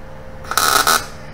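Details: New Chinese eBay MIG 250 welder at about 17 volts and 75 wire speed on an exhaust pipe, then on dirty metal; a brief, steady, even crackling arc buzz with no popping or sputtering gives a consistent puddle; normal MIG welding.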